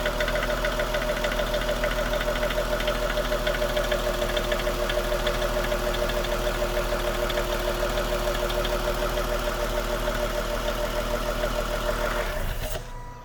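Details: 2016 Lexus GS350 at 54,000 miles, at idle in park after shifting from reverse: a steady light ticking about three times a second over a smooth engine; source unconfirmed, owner suspects the vacuum pump.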